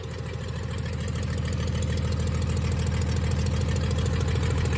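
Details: 1996 Dodge 2500 diesel running with no turbo or exhaust manifold fitted after turbo failure: low heavy clatter about three beats a second, uneven pulsing; rough, owner suspects injection pump setup and oversized injectors, too much fuel for available air.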